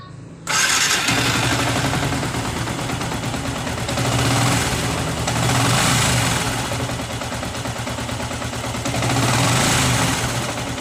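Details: Yamaha R15 motorcycle engine after rebuild to cure a rough, noisy engine blamed on over-tight valve clearance wearing valve stems and adjusters: starts promptly, settles into an even, steady idle with gentle rev swells, no ticking or rattle; normal.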